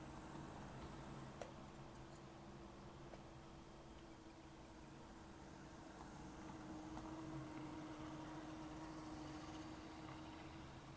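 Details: Accurascale Class 60 model locomotive after oiling and a 20-minute run-in: faint even hum, no squeak or chatter; almost silent now, expected to improve further as it runs in.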